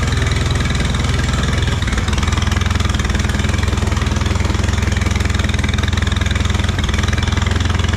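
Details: Allis Chalmers B tractor engine, running after a long repair, with oil pressure. An even, steady putt-putt at about three or four beats a second with no misses or knocks. Normal, smooth idle.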